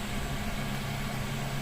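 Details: Newly installed Chinese diesel air heater in a van, first run and warming up: loud, steady low hum with an even whoosh of combustion air and no surging or knocks; runs normally, with fuel pump ticking, pump hung on zip ties.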